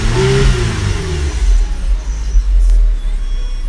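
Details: 2010 GMC Arcadia after diagnosing a no-crank, no-start fault: engine flares briefly on start, then settles into a steady smooth low hum with no stumble; runs normally.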